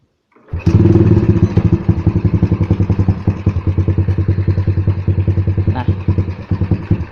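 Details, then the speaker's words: Single-cylinder engine with a leaking carburetor intake boot, just started. It chugs at about three and a half beats a second but stumbles unevenly. Check: if turning the idle screw fully in still raises revs, there is an intake air leak letting in too much air. "เวลาเบิ้ลมันจะเนี่ยนี่คือวิธีการเช็คอีกอย่างนะครับก็คือปรับอากาศเดินเบาสกรูเดินเบาอ่ะถ้าหมุนเข้าสุดแล้วมันเร่งก็คือรถรั่วนะครับคอคบูรั่วอาจจะเป็นคอรีหรืออะไรนี่นะครับ"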